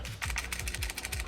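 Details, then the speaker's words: Aftermarket AliExpress GBA Micro replacement shell, console shaken: quick bursts of light clicky clatter as something loose knocks inside the shell, a sign of poor shell quality. "as you can hear, it's rattling away in there. I'll explain why in a second."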